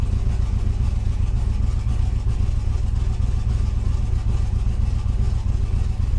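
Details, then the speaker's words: Pontiac Trans Am, about 1000 hp turbo small engine on 21 psi boost, moderate tune, running E85, fuel pressure reset from 58 to about 43 psi, O2 warming: heavy uneven loping idle rumble; running rich, tune needs work. "still running a rich though so I'm definitely going for mess with the tune a little bit and by the dune yeah sounds like poop but that's okay"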